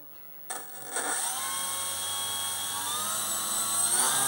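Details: Electric motor of a Dumas Hurricane RC conversion, retried after cables were separated with masking tape because they were suspected of arcing at full power; quiet start, jerky spin-up, then a high thin steady whine, running normally.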